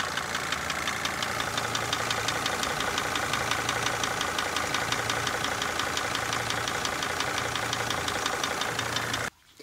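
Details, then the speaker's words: Mercedes Sprinter diesel van at idle: regular knock about three per second over the clatter; swapping injector 2 changed nothing and unplugging it changes less than other cylinders, suggesting low compression in cylinder 2, unconfirmed. "placing injector number two didn't change anything and unplugging it doesn't change near as much as unplugging one three four or five here coming back again so pretty clearly we've got a compression problem in cylinder number two"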